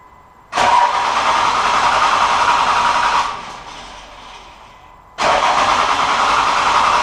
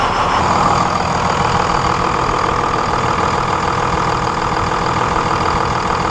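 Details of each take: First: 1999 Cummins 24-valve diesel with hard, long starts and heavy white smoke; about half the injector lines cracked open: two long cranking runs at steady starter beat, engine never catches; suspected failing injection pump, weak fuel delivery. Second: 1999 Dodge Cummins 24-valve diesel with hard, long starts and heavy white smoke, #1 injector line cracked loose for fuel pressure check, battery charger attached: settles into a steady, even clatter with no stumbling or misses; clean, normal idle.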